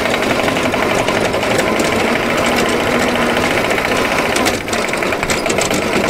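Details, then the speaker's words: Dennis Premier mower gearbox with straight-cut gears whose tooth ends were burred and ground off, driving under load before the gears are replaced: hard rapid clatter with a horrendous howl, caused by damaged gear teeth. "there's a horrendous howling coming from the gearbox and that's because of the damage to the Gear teeth"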